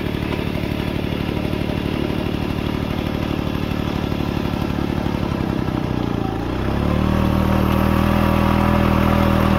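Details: Restored 1940s Simar two-wheel tractor rotary tiller, single-cylinder engine: even, steady firing that settles into a smooth, higher hum under load; starts easily and runs smooth and healthy.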